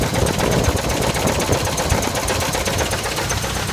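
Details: 1979 Chevy K5 Blazer 350 V8 at idle: a fast, uneven knock at roughly four per second over a steady idle; unclear whether it is the flexplate or the engine.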